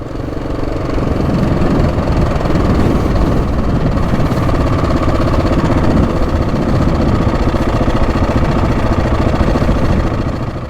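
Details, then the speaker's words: Husqvarna 701 on a trip, after an oil and filter change: big single idling with a busy, uneven rattle of a few clicks per second over the thump; timing chain or tensioner noise, so the ride had to stop. "No, that doesn't sound good at all. Going to have to stop."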